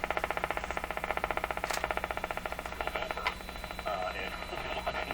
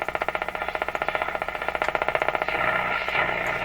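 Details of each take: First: Canadian General Electric C701 console radio after tube testing and bench alignment, tuned to an AM station: strong, steady audio over light hiss with no fading or squeal; normal reception, receiver well aligned. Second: Canadian General Electric C701 console tube radio after tube testing and bench alignment: sharp regular ticks about 2.5 per second over the hiss, external interference thought to travel through the house wiring, hard to locate; external radio interference ticking.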